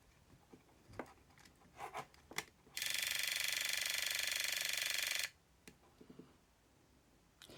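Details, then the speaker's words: Aiwa AM-F75 MiniDisc recorder after a failed seller repair attempt: pressing play sets off a loud, fast, even buzzing rattle for a few seconds as the laser mechanism vibrates; record switch suspected, not confirmed. "so I'm going to press the play button now going have a look through this hole we see it vibrating"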